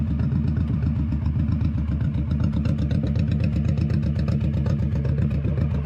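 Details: 21-year-old Honda Shadow V-twin with new Vance & Hines exhaust, baffle repacked with new fiberglass: deep, even thump about four pulses a second, no rasp or rattle, tamer deeper tone; normal running.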